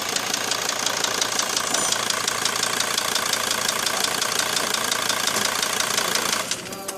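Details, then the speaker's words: Mercedes Sprinter 2.7 CDI diesel at idle: sharp regular knocking about three times a second, traced to one cylinder; piston slap from a piston deformed after brief overheating and seizure in the liner, fixed by replacing the piston. "тук-тук в конце всё стучит поршак"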